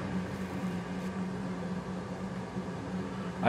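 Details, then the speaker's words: Used replacement oil burner in a basement in Finland, replacing a 15-year-old unit with bearing noise: even, steady low hum and smooth airflow, quieter, running normally. "don't hear that much noise from this unit, so I guess it's a little bit better now."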